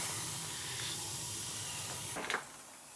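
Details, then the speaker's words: Gas boiler after replacing a leaking circulator with a new 07 circulator and purging zones, one zone calling: steady soft hiss, no banging, kettling or pump rattle, firing normally. "so it's only got one zone calling right now she's running she's a runner they clean all the vents good you don't want them on full of dust"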